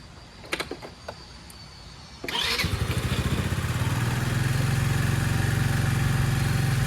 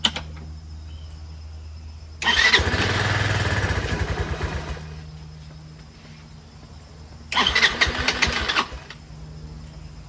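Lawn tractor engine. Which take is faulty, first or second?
second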